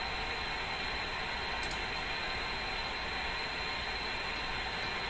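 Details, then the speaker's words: Philco Model 24T five-tube radio noise test via SDR near 912 kHz, quiet band between interference peaks, before the motor starts: flat, steady hiss with no pulses or hum; background hiss, suspected atmospheric, not confirmed. "We hear a hiss. Now, that hiss is coming from this line. That sounds to me like atmospheric hiss, but I can't be sure what that really is."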